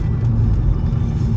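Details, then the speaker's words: MK5 GTI on test drive after diverter valve replaced with upgraded one (car was dropping boost from about 10 psi to 5); deep, even, quieter rumble with no flutter or hiss, repair sounds and feels good. "i did notice though when we changed it it does sound different it's a little quieter a little more like a deep sound"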